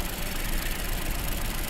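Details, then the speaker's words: 2017 Ford Escape, about 70,000 miles, low power complaint after spark plug replacement: uneven lumpy low idle with misfire, cylinder two dead with poor compression; no audible compression leak at the plugs. "nothing okay that's a bummer I'm sure number two is doing all kinds of funky stuff that sucks yeah yeah number two is just it's just dead it's just dead"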